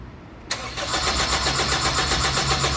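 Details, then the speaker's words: 2003 Honda CR-V no-start: the starter spins the engine with a steady rapid chug but it never fires, even after the fuel pump was replaced; fuel flows at key-on but not while cranking, traced to a faulty ECU. "ปรากฏว่าเปลี่ยนปัติ๊กไปแล้วสตาร์ทไม่ติดตอนนี้สตาร์ทติดแล้วครับนนู่นสาเหตุแม่กล่องเสียนะครับ"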